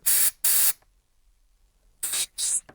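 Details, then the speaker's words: Kawasaki ZXR750 H1 carburettors during strip and clean: air blown through each of eight brass jets on the carb backs; four sharp hissing bursts, two strong then two softer, pass freely with no sputter; jets clear. "If air coming out, then it's clear. They're all good."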